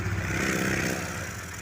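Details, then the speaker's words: Honda Vario 150 scooter engine at low rpm with the water pump removed (its factory seal was still intact): even, steady hum, and the usual ngik-ngik squeal is gone, pinning the noise to the water pump. "dari sini itu enggak ada suara ya enggak ada suara ketika posisi RPM bawah ya biasanya itu bunyi bunyi ngik-ngik ya karena di sini sudah dilepas water pumpnya maka bunyi itu sudah hilang"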